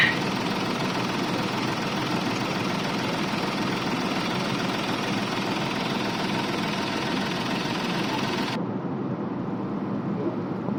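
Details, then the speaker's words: Mahindra KUV100 with heavy engine vibration and knocking felt through the dashboard at start: a rough, shaky idle with a continuous coarse rattling knock. The cause was traced to worn clutch plate springs. "इसमें clutch plate की spring होते हैं और clutch plate कर रहा था"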